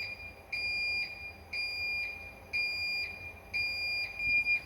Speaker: And as you can hear, my alarm now won't shut up. Put the engineer code in and it just started going apeshit.